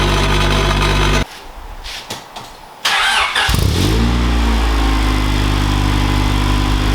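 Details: Honda Integra idling after fixing its holed, putty-patched muffler: briefly quiet, restarts with a quick rev, then even, rattle-free exhaust note; normal exhaust after repair.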